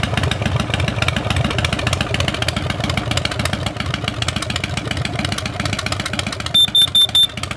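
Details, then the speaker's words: Motorcycle idling with a Kidde KN-COPP-B-LPM carbon monoxide detector held behind its exhaust; the alarm sounds four quick high beeps as exhaust fumes trigger it. "Out of curiosity, I'm going to put the meter behind the exhaust of my motorcycle."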